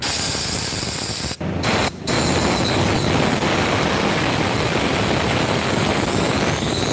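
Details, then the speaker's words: Supra motorcycle lacking power, top speed capped at 100 km/h: loud steady hiss of air escaping past a non-sealing valve during cylinder-head leak check, following worn piston rings with widened end gaps; engine still idles. "kenapa motor ini tetap bisa langsam Pak begini kebocoran pada klep X itu tidak akan lebih parah daripada kebocoran klep Inn"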